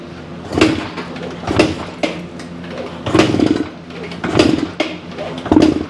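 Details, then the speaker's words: 1975 Suzuki TS-250 with a 6-volt system and a rewired stator, key and fuel on, fuel confirmed: about six kicks, each a brief thump with no firing; won't start. The plug was then found wet. "it's uh it's uh just doesn't want to start so we're back to kind of where we were"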